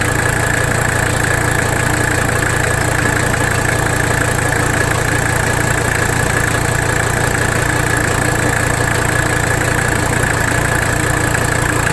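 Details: 1985 Mercedes 300D diesel at idle, engine loaded while bottoming the nut and adjusting idle during rack damper bolt adjustment; steady clatter with slight uneven lope about three pulses a second, still rough — the work did not fix it, no vacuum leak found, cause unknown.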